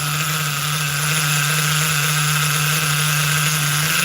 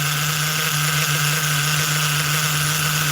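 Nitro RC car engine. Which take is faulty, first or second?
first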